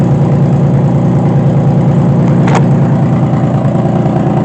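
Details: 2005 Honda Pilot after timing belt work and oiling the cylinders for compression: engine catches and settles into an even, steady low hum with no stumbling or knocks, heavy smoke from the oil; running normally after repair.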